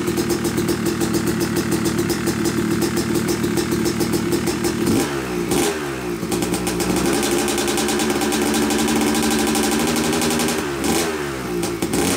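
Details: Yamaha YZ250 two-stroke motocross bike (250cc/270cc) after year-long full engine rebuild (bottom end, transmission, bearings, clutch, power valve), first start-up: crisp ringing idle blipped up and dropping back cleanly, revs answering throttle smoothly; break-in smoke normal; healthy running.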